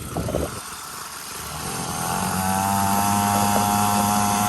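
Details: 49cc two-stroke dirt bike after rebuild, new fuel line, tank cleaned, fresh gas, started on choke and being broken in: small engine buzzes up smoothly and holds steady even pitch, no misses or knocks; running normally.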